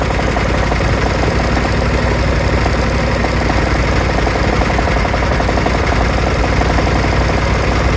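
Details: Kawasaki FH531V-BS06 18 HP V-twin at idle: loud, rough with an uneven deep knock through the exhaust pulses and heavy shaking, also leaking oil; owner suspects a bent crankshaft, unconfirmed.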